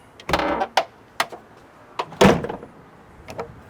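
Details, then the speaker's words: Jeep Wrangler JK tailgate after installing new tailgate striker to fix rattle: firm single clean thump on closing with light handling clicks, no rattle; latch closes solidly. "I mean it sounds way solid of course I'm going to be testing this you know for the next few weeks"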